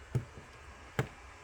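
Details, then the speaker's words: Bosch dual ABS relay from a 1986 Porsche 959, repaired by replacing a burned-out coil with one from a similar relay, tested switching a 9 A bulb load: two crisp, solid clicks at pull-in and drop-out, so it works normally. "if there you go you can hear it clicking and you can see the light bulbs going on"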